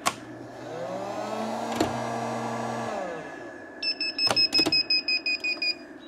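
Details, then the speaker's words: Vevor 12 V 2500 W inverter on a 12.8 V 460 Ah LiFePO4 battery: steady high electronic beeping in quick bursts about three per second over a quiet hum; fault alarm persisting after power is turned off. "Okay, I'm off and the fault is consisting. Turn off the power. Now, the fault's still going."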